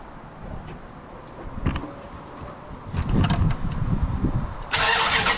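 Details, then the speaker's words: 2003 Hemi Ram V8, checked after owner's son reported it running abnormally and the transmission slipping: starter whirs briefly, engine catches cleanly and settles into an even idle; sounds normal, a healthy start. "go I don't know about y'all guys but that sounded just as normal as ever"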